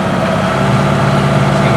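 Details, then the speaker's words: Classic displacement powerboat inboard, rated 3,200 rpm, at 2,500 rpm giving about 8.5 knots, heard in the cabin near the engine: smooth, even deep drone with no knocks or misses, healthy high-rpm running. "Okay, this is 2,500 RPMs. This gives me about 8.5 knots."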